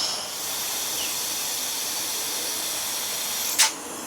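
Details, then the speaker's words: 1968 Evinrude 6 hp outboard, lower unit under low air pressure test: steady thin hiss of escaping air with one sharp click. Gear case has a gooey, dripping crack, and the leak is judged to be the water pump seal. "i have to put the uh air on it a little pressure test so i got this thing down real low i can hear it coming through here"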